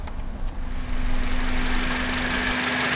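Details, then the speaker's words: 2005 Honda Element 2.4 petrol idling unevenly with check engine light on, scanner pointing to cylinder 2 (graph shows cylinders 2 and 3); stumble with faint hiss, mechanic suspects vacuum leak; misfire at idle; complaint starts after 40 highway miles. "aunque déjenme les digo que yo escucho como una fuga de vacío"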